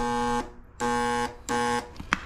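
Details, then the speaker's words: Murray 824 snowblower with a Tecumseh electric starter, plugged in, button pressed: three short bursts of steady buzz with no cranking. The starter barely turns over, as if jammed; the brush holder may have overheated. "we got electric start and what the problem is electric start won't turn over it will barely turn over and just buzz it"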